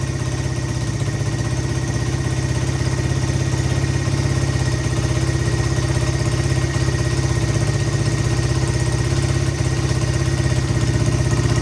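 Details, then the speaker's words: 1985 Honda XR100 single-cylinder, revived after no-spark fix, first run: steady even idle with regular low beat, no cam chain slap or valve chatter, no smoke, carb not leaking; normal idle. "Look at that, she idles nice too. Engine's quiet. I don't hear any excessive cam chain slap or anything."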